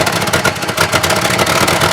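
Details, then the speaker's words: Chevy Caprice box lowrider idling with a broken exhaust mount and a torn muffler with a big hole: loud raspy idle with a hissing, spitting edge from multiple exhaust leaks. "sounds like it's got a bunch of leaks that Muffler's all torn up it's got a mean hole too I noticed which is right here on the other side of this pipe so that's why it sounds like that"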